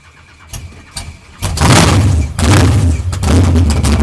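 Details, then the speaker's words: 632 engine with F2 ProCharger at first start-up after build: starter cranks, engine catches and runs loud and uneven, surging and stumbling rather than settling; carburetor needs tuning; rough running. "Alright, y'all. I'm gonna have to do some tuning, man. I'm gonna have to do some tuning."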